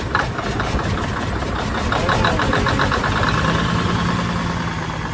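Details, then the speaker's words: 1987 Freightliner wrecker with Big Cam Cummins diesel, first start after sitting about a year and a half (silicone spray used to start): even, steady low-rumble idle, no misses or knocks, fan turning, accelerator a little sticky; normal idle. "there you go come on girl come on girl there we go guys we is running see the fan turning probably hear running he is a runner so accelerator is a little sticky"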